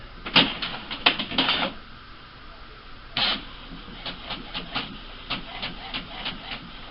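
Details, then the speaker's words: HP Officejet G85 printer/fax/copier after repair of a grinding noise by cleaning the motor plastic disc and sensors: during a black copy, quick clicks and short bursts of print-head and scanner-head travel with no grinding; normal copy operation. "The scanner head's moving around, not making any noise. And it's starting to copy."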